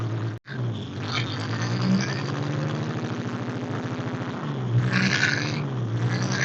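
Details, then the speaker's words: 1946 International being revived after 50 years sitting, fitted with a new 12V charging system: steady idle with a loose, fast rattle from the generator fan, loose on its pulley; fixed by removing the pulley, adding a washer and refitting it. "okay the sound was the rattle of the fan on the generator it was loose so we had to take the pulley off put a washer on it put it back on and that ended up fixing the problem"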